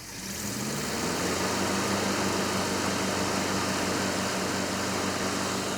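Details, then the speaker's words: 1967 Ford truck V8 started on a ballast resistor with no cranking bypass, about two volts to the coil: it catches and settles into a steady, slightly lumpy idle with an even low beat and fan hiss; running great again, strong oil pressure. "oh man ah it's so nice to hear it running great again I know ah woo I'm glad it started with the balance resistor"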